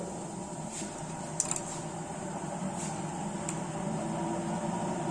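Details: Three-phase slipring induction motor in lab on 220V three-phase from transformer, 30 ohm rotor resistance in series for speed control: steady even electrical hum, smooth mechanical tone, few faint ticks; running normally.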